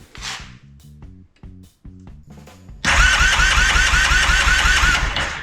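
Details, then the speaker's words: 2001 Yamaha Kodiak 400 ATV after replacing entire one-way starter bearing gear with new OEM part, new gasket and Woodruff key; previously made terrible noise and sometimes wouldn't turn over; short bursts then clean continuous cranking, no slipping or grinding; normal starter cranking. "New gears, got the bolt in, the crank, everything's held together, the whole cover's on. I don't know, it should crank just fine."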